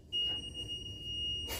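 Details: 2006 Sea-Doo RXP supercharged jet ski: a single shrill steady beep of about a second and a half, then a click, the normal wait signal before starting; fluids checked, cranks right up with no issues.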